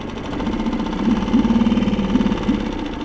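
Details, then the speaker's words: New Mercury 3.5HP water-cooled four-stroke outboard, replacing a Honda 2.3HP, warm restart without choke, idling in neutral while warming; even putter with no knocks, misses or rattles, far quieter than the Honda, a healthy normal idle. "Sound-wise, nothing to compare to the Honda. Sounds so much better already from the get-go."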